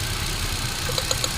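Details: Hyundai Accent with code P0300 at idle: lumpy beat with sharp ticks about eight a second late in the clip, a rough, uneven idle; engine misfire.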